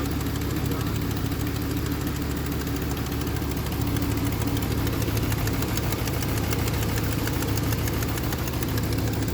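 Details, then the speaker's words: 2003 Chevrolet Trailblazer with aluminum 5.3 V8: steady idle with a fast, light ticking keeping pace with engine speed; owner suspects a couple of stuck lifters. "Woo! Yeah, it sounds like a couple lifters are stuck. But hey, it does fire up."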